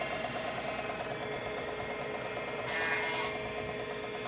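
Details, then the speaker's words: Salvaged 386 PC with two massive hard drives, case off, at power-up: steady even whir and hum from the spinning drives, no clicking or grinding; drives C and D working, boots to MS-DOS; normal hard drive spin. "oh this thing sounds like a real computer"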